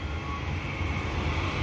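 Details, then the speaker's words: Goodman gas furnace after clearing a clogged inducer port that kept the pressure switch open (3-blink error): inducer motor runs with an even steady whir, no rattle or surging; solid red light, no error, flame sensor glowing. "Same thing as before. Our small motor is going to turn on, but we'll see if we get our error code."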